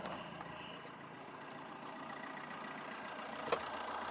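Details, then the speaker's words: Freshly rebuilt Fiat 1.3 litre engine at idle after being revved to 2000 rpm; quiet even hum with no vibration, knocks or rattles, sounds like a brand-new engine. "ये देखो आवाज़ सुनिए कैसा हो रहा है, आवाज़ एकदम मस्त, मतलब इतना मज़ा आ रहा है ना आवाज़ सुनने में, मतलब एकदम पेट्रोल का जैसा आवाज़ आता है ना उसके बराबर आवाज़ आ रहा है एकदम, मतलब एकदम ब्रांड न्यू इंजन जैसा हो गया है।"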